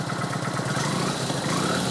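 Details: Kawasaki VN900 Classic V-twin after charging-system work, in garage: even loping idle picking up cleanly on a throttle blip, no knocks or misses; 13-14 volts at output, alternator and regulator working; normal idle and revving.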